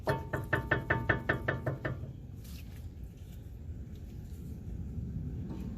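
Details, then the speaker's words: Nissan Xterra with low brake pedal, rotor and caliper showing excessive play, piston extending then retracting when brakes applied: quick run of about nine hollow metallic knocks in two seconds; brake rattle, bad master cylinder suspected, not confirmed. "So, it applies the brakes. The piston comes out, [Music] but it doesn't hold anything. So, it looks like it retracts back. And this is the rattle."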